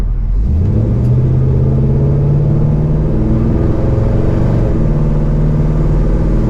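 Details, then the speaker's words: 1968 Pontiac LeMans V8 taking off from a stoplight after a new exhaust: deep, even rumble climbing smoothly with no popping or stumble; the car is no longer slow, though the owner thinks more power remains. "Man, I really think that exhaust helped a lot. I still think there might be some more in there."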